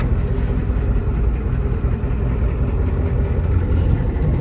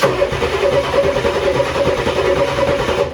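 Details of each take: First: 1994 Ford F-250 7.3 IDI diesel, revived after sitting for years, on test drive: loud rough run with coarse ticking puff riding exhaust pulses; leaking exhaust manifold, temps normal, about 35 psi oil pressure. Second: 1994 Ford F-250 factory-turbo IDI diesel that sat for years, with a newly fitted starter: spins over briskly and evenly for about three seconds without catching, possibly low compression on a couple of cylinders; normal cranking.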